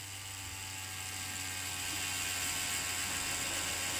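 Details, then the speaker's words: Cheyenne Thunder rotary tattoo machine at maximum stroke on original cable/adapter: thin high whir of small motor, steady, slightly rising; at 9 V it fails to start, current rises, only starts at 10 V; motor or board first suspected, but adapter voltage drop is the cause. "выключаем все машина не заводится возрастает ток то есть 9 вольт максимальный вылет не работает"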